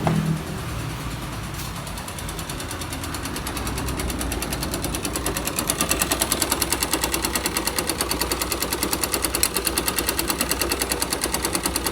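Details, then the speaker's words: 2005 Yamaha YBR 125 found with oil below the dipstick mark, refilled, now smoking, lacking power and leaking at the clutch seal: sharp even knock about three per second, louder as the engine warms. Connecting rod knocking, plus piston and bearings worn. "e um dos barulhos era a biela canecando e o pistão e esses rolamentos né"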